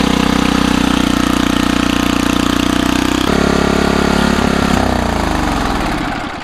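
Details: Old rototiller after a new spark plug (old plug looked wet): fires quickly, settles into a steady, even run with no misses or sputter, then winds down; works well.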